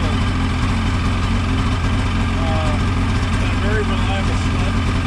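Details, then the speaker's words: Ski-Doo 550F two-stroke after cylinder repair and reassembly, first start: deep steady burble at idle with even firing, no knocks or rattles; sounds good, healthy. "see that was a success sounds good"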